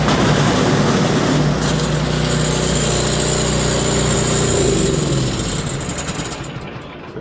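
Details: Toro Power Clear 721E electric-start snow blower, after ultrasonic carburetor cleaning and rebuild, fresh fuel and oil checked (previously wouldn't start or stay running): steady even single-cylinder beat without hunting or surging, then shuts off; running healthy.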